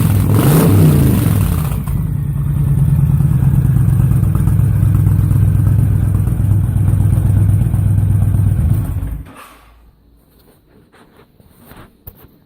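Deep loping V-twin thump that swells cleanly with each blip of throttle, no misses or pops; healthy engine breathing through the slip-ons.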